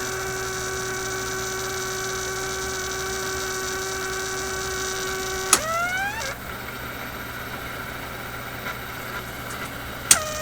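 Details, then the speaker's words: Constant buzzing hum, a low drone under a higher tone that shifts partway, from a 1967 Heathkit Electronic Projects Kit AM transmitter build; the noise continued with the circuit disconnected, so the bench power supply was the source. "i've disconnected the power from it is still making this noise how the heck does that work discovered something new the single wire power supply okay so my supply is simply putting out this noise here"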